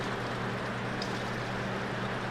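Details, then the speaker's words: Zeco oil filtration machine pumping from fryer; steady pump hum with wet gurgling rush and slow spurting as it sucks air near tank bottom; normal sign tank is nearly empty. "And as we start to hear the gurgling from the bottom of the tank, and it's slowly spurting out like so, it means we are close to the bottom of our tank."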